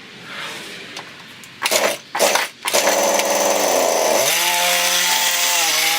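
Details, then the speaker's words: Husqvarna 329L trimmer, new and under warranty, won't stay running: pull-start tugs, engine catches, sags and holds a rasping buzz with the idle speed set very low. "right here is a screw supposed to turn this to adjust the idle speed and idle speed is very very low so I've got to turn it up"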